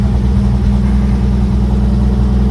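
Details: 1955 Chevrolet 3100 truck, old six-cylinder, first run since about 1993: deep, steady low rumble with an even beat and no misses or knocks, good oil pressure; normal idle.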